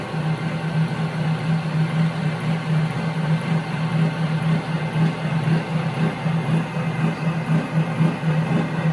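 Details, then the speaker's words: Omega high-pressure air compressor pumping toward 4,500 PSI: loud, steady low hum with an even pumping beat about twice a second; owner feels it fills slowly compared with a Yong Heng. "Now, I'm going to give you a demonstration of why I feel that this is a slow to me versus the Yong Heng. The Yong Heng pumps up quick."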